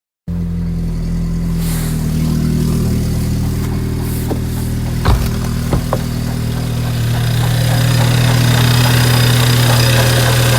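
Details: VW Golf 5 GTI 2.0 TFSI (BWA engine) at idle: steady idle with a faint regular tapping about four per second plus a few sharp clacks; knocking noise at idle, timing belt or water pump suspected, not confirmed.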